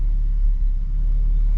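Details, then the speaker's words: Nissan 370Z V6 just after valve cover gaskets and spark plugs replaced: low rumbling idle with uneven beat and occasional stumbles; still misfiring, cause undiagnosed. "i don't know if you guys can hear that yo let me oh this is still misfiring bro"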